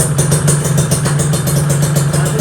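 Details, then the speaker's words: Two-stroke Kawasaki Ninja motorcycle idling right after carburetor cleaning and refitting: loud, rattly idle with quick steady popping beat and metallic chatter; owner says this clatter is normal for a two-stroke. "ini aku pakai ini guys ya motor aku suaranya Udah kayak pabrik paku udah nggak adem lah gitu tapi bagiku sih ya aku udah main 2 tak dari kelas 5 SD gitu suara 2 tak kayak gini tuh wajar banget wajar banget"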